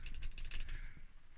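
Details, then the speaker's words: 1950s Addo Multo Model 113 pinwheel calculator after days freeing seized parts: quick run of crisp, even ratchet clicks, about seven in half a second; cogs and reset lever now move freely, working normally. "It's working now. The reset lever should be working now. Yeah, this all works."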